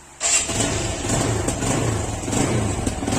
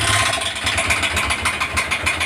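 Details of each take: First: Phonex motorcycle engine after repair of a bad engine noise: starts at once and settles into an even, steady beat with no knocking or metallic rattle; sounds healthy. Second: আপনারা শুনতে পাচ্ছেন ইঞ্জিনের আওয়াজটা খুব খারাপ। আমরা এই প্রবলেমটা সলভ করার চেষ্টায় আছি এবং চেষ্টা করব।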